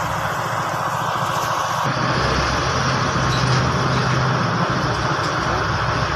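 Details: Hino P11C diesel after its no-start problem was fixed; even diesel clatter holding a constant rhythm with no misses or stumbles; normal idle.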